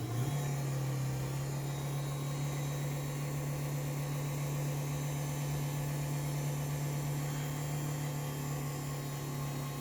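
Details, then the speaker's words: LiftMaster 8550WLB-267 garage door opener running: loud steady low drone with rough mechanical rattle throughout travel; sounds noisier than it should but works. "So, you can hear it's a little noisy. It doesn't really sound quite right, but again, it works."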